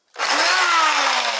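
Drill motor spins up to a steady high whir, pitch easing slightly, smooth and even with no grinding or rattle; running normally.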